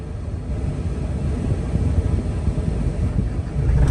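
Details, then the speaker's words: Lightly used 2016 John Deere 85G crawler excavator with about 1,600 hours, starting up: a deep, steady diesel rumble that builds slightly as it settles, with no misses, knocks or rattles. It starts right up and idles normally. "Starts right up. No issues there."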